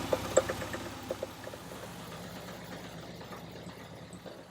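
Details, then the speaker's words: 1960 VW Beetle convertible with an air-cooled engine that needs engine work and is leaking. It idles with an uneven, lumpy beat and light clatter ("clinging"). The cause is not identified: rough idle. "so she runs doesn't sound too good i do have to see what's going on with her but you hear the clinging"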